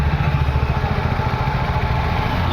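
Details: VW Vento petrol engine idling with a lumpy, uneven beat: cylinder 1 misfiring because its fuel injector gets no pulse from the ECM though main supply is present; coil and plug fine; P0300, P0201, EPC light, pickup loss.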